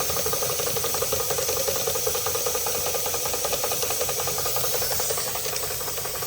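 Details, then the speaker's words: Märklin 16051 twin-cylinder model steam engine, still running in (third or fourth run): quick even chuffing about three and a half beats a second with soft hiss; pump, safety valve and pressure gauge working; normal running. "This is still, this is still running in. This is only about the third or fourth time I've run it. Oh, this is lovely. Yeah, still working."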